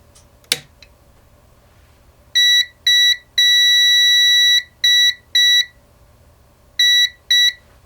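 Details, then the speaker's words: Elegoo Saturn resin printer after an LCD panel replacement and firmware update: on power-up, loud high steady beeping over a faint fan hum. This is believed to be a normal alert after fitting a new panel; the printer later needed board repair. "Ce bruit anormal semble être un son qui retentit lorsque vous le remplacez par un neuf, vous pouvez donc le faire passer (l'ignorer)."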